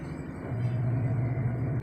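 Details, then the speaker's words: Top-load automatic washing machine, after repair of a spin problem, spin cycle selected; low even motor hum holds steady, no banging or grinding; normal spin cycle. "So, ayun na, maandar na siya."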